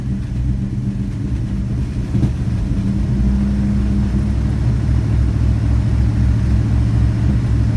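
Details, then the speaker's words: Vintage V8 car being fired up, with soft motor mounts, gives a lumpy deep rumble with a rough puffing edge under the revs: an exhaust leak. "you have an exhaust leak you can hear that"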